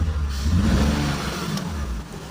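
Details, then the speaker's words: BMW Z3 engine, sat for a long time: revs unevenly with irregular stumble and dropped beats under throttle after swapping coils five and six; still missing, coil ruled out, checking cylinders two and six and plugs; misfire. "it's still missing so we are going to check which one is two and six"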